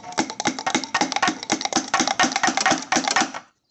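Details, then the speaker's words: Audi B8.5 turbo housing tapped by hand: quick metallic taps each followed by a tinny rattle; loose wastegate flapper, causing low boost and sluggishness; turbo replacement needed. "this thing is moving so the the flapper is the cause and that thing is definitely moving try it one more time even hear it this turbo is not making full Boost that's why it's so sluggish"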